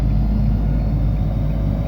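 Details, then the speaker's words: Nissan Rogue automatic transmission failing to upshift on road test: loud engine drone held at high revs under load, about 40 km/h as RPM climbs from 2000 toward 4000, no shift break. "So I just have to do it to show you how it works. The gear is not changing. That is it."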